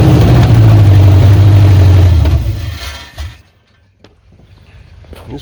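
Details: 1986 Chevy Silverado with 5.7 350 Vortec V8 after camshaft swap to run the stock mechanical fuel pump, first start: fires and holds an even low rumble about two seconds before shutoff; normal running.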